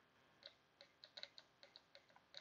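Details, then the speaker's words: VVT solenoid tested off the engine with 12 V applied and grounded across its pins: about a dozen crisp, sharp clicks in under three seconds as power is switched on and off. The valve snaps cleanly; the solenoid opens and closes as it should. "so that's a good sign there the solenoid is opening and closing as it should"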